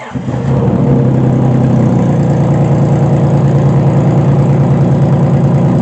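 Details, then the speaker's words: 2005 Honda Pilot, oil poured into cylinders to raise low compression, first start attempt: brief crank, catches fast and settles into steady, even idle with heavy oil smoke, no misses or knocks; normal start. "All that smoke is from the oil that I poured into the cylinders to get compression. Woo! It's running now."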